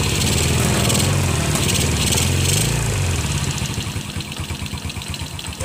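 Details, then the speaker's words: Yamaha Jupiter Z dead for a year, revived after ignition, fuel, engine and air checks and new oil; it settles into a steady, quick, slightly uneven putter at idle, smoking a bit from sitting so long, with oil still spurting. "Motornya hidup lagi guys. Ini yang sudah 1 tahun mati, sudah saya perbaiki berhari-hari ini."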